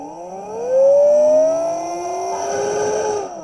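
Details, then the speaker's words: Half-bridge motor controller on bench supply, current read on return line, idle 0.04 A; motor whine climbs in pitch as potentiometer winds speed up, then cuts out abruptly when too much power is drawn and the supply trips on overcurrent. "but and I pulled too much power, so I'll quickly reset the power."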